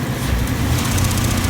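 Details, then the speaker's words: 1993 Mitsubishi Diamante, V6, automatic, 201k miles: it stumbles and misfires when the throttle is snapped open hard but revs fine with light throttle. This continues after a new TPS and a cleaned throttle body and MAF. "I turned up the throttle, but every time you rev it or you get on it, hesitates a little bit. It does that. So it sounds like it's fouling up."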